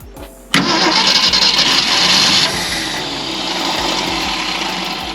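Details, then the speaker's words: 1965 Ford Galaxie 500 project revived after many setbacks; a fast starter whir with uneven firing pulses coming through, not yet fully started. Gauges show coolant temperature, voltage and oil pressure. Engine cranking and starting to catch. "It's doing something."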